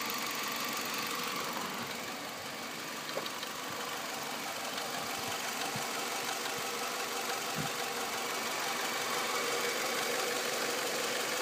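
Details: 2006 Nissan Altima 2.5S, 117,000 miles, idling with a steady light knock about three a second over hiss, from the rear top of the engine near the timing chain side; cause unknown.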